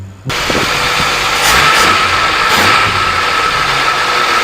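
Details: 1989 Jeep YJ Wrangler 4.2 liter straight six with carburetor and new fuel pump, after fuel-delivery troubleshooting; engine catches and settles into steady even idle with no knocks or misses; normal idle.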